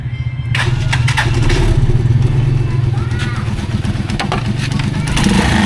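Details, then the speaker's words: Rusi Chariot 175 motorcycle running: loud, uneven buzzing rattle over the idle thump, first mistaken for the exhaust, traced to the air cleaner outside the engine. "so ito yung maingay dito sa ating makina itong cleaner yon so maingay na siya"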